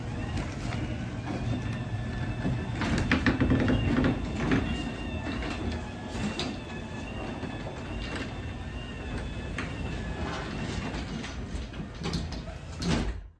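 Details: LiftMaster 87504-267 opener on a new Haas garage door during a closing run: a steady low drive hum with light, even chain and roller clicks that ends cleanly. Normal operation.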